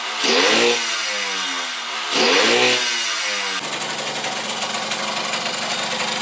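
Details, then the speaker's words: Rebuilt Yamaha YSR50 two-stroke after crank seals and engine reseal for an air leak: two blips then a buzzy idle with tinny chatter, rattling because the gas tank wasn't bolted down. Loose panel rattle. "as you noticed in the last clip this thing was rattling like crazy it's cuz the gas tank wasn't bolted down"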